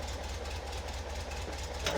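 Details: Car with Weber 40 IDF carbs after cleaning clogged idle jets and reassembly, with air-cleaner base gaps sealed and snorkels added to the idle air correction jets. Low, steady, even idle with no misses.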